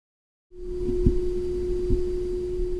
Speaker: And that buzzing, well, it's a tiny tuning fork vibrating 360 times per second.